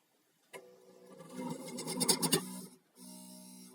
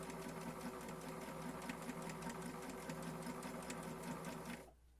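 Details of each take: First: Janome 525S sewing machine reported to hum: motor hums and needle chatters quickly, then stalls and goes quiet before a strained steady hum; machine binding and jamming. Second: Janome 525S pedal sewing machine that hummed when starting to sew, reassembled and run set to 2; the humming was put down to dust and the needle. Quick, even mechanical chatter at a steady stitch rate with no droning hum, stopping cleanly: sewing normally.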